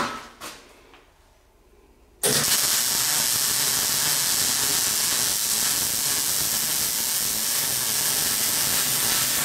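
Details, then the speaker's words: MIG weld on a Classic Mini roll-over jig after turning the wire speed down from 5 to 3.5: a steady, smooth frying crackle with no popping or sputtering, a normal weld sound. "So you see the difference there? Just by turning that down one whole wire speed, it was 5 and it's down to 3.5. The difference in the sound, you can hear it."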